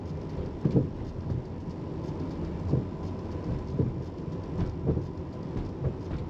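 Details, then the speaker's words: 2001 Toyota Avalon on back roads, before repair. Dull, uneven thumps about every second over low road rumble as it crosses bumps; shaking the wheels and tightening the spare and jack didn't help. Owner suspects worn rear sway bar bushings. "so we're trying to troubleshoot some rattles on this Avalon and I'm thinking it could be the bushings around the rear sway bar so we're going to go ahead and try to change those"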